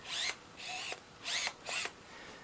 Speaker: It is pretty noisy, and unfortunately that does actually get picked up on this thing's internal microphone.